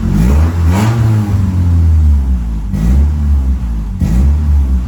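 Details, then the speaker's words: Honda Civic on jack stands, engine running and revved, heard from under the car: loud deep drone with raspy blips from an exhaust leak. "So I'm just gonna go and start it up, crawl under the car and see if we can't locate the exhaust leak. You can hear it."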